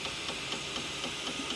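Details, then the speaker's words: M3D Promega 3D printer: extruder motor clicks sharply about four times a second over a faint whir, failing to push filament to the hot end and causing under-extrusion, even with a free-spinning spool and no back tension; pushing on the extruder stops the clicking; lacks torque. "there goes the extrusion motor again, not able to power through and push the filament into the"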